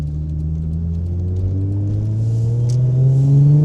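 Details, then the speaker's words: Nissan R32 GTR RB engine, window open, after fitting Turbosmart oil pressure regulator (40 psi turbo feed), new OEM thermostat and fixed V-band exhaust leak: deep smooth drone climbing in pitch under acceleration, no leak puffing or rattle; healthy exhaust. "I'm gonna pop the window so you guys can hear the exhaust noise. It may be too loud and blow out the mic, but you know, RB."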